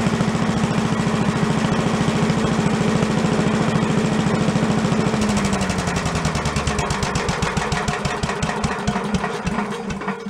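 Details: Commercial walk-behind leaf blower bought not running with carburetor problems (flooding, shut-off not shutting off), after carb work and air cleaner refit: small two-stroke at steady fast idle, then note drops, firing slower and uneven before picking up; normal idle.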